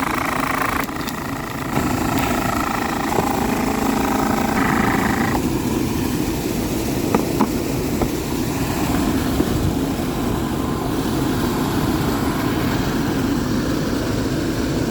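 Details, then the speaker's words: Dometic RV roof A/C, about six months old, heard on the roof: a steady hum with an uneven scraping rub as the loose, off-centre blower wheel catches its plastic housing. Blower wheel rubbing on housing. "all right so you guys should be able to hear that horrible noise that's the fan rubbing on the plastic here so let me take this apart"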